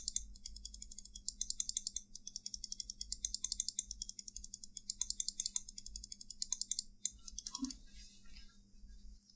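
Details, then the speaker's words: Glorious Model D mouse after foam padding added inside the shell to stop squeak and hollowness: crisp, tight clicks in quick bursts with no squeak or hollow ring; normal clicks after the fix. "now the final sound test no squeaky and hollow sound at all"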